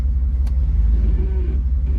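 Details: 1996 Jeep Grand Cherokee ZJ 5.2 idling in gear on a test drive after idle air control valve replacement, at the spot where it normally dropped dead; low steady rumble with no sag or stumble, idle now stable.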